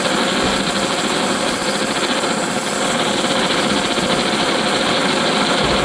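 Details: Antique paraffin blowlamp, newly assembled and tested outdoors: a loud, even hissing roar with slight flutter from wind on the flame; the burner is running properly.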